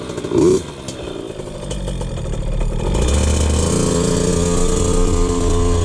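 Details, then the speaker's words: 2003 KTM 50 Mini Adventure 50cc two-stroke, fresh BR8 spark plug, choke off, test ride: picks up cleanly with a strong, rising buzz, power band kicks in, revs out clean with no bog; normal revving. "That's pretty good throttle response so far. Woo! Yeah, you can definitely tell when that power band kicks in. Yeah, it revs out pretty clean, actually."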